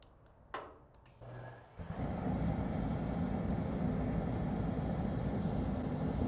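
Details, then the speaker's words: Dayton 3VE52D 210,000 BTU kerosene torpedo heater, outdoors after air pump cleaning, line blowout, pump pressure set about 8.3 psi and hand sanding: clicks, brief spit, then steady even burner roar, lit and burning hot properly. "she's burning I'm excited about this now and hot - awesome"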